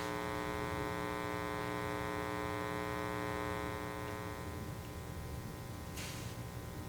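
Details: Pyle amplifier idling: a steady low mains hum and buzz that eases off partway through. It is reduced by turning the channel level down and turning the other control up.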